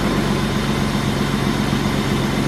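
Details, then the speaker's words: 1995 BMW 325i E36 M50 six right after new belt fitted and first start: smooth, even idle with steady low hum, no ticks, knocks or squeals; quiet, healthy-sounding engine. "off no noises beautiful this is a nice sounding M50 it's quiet sweet"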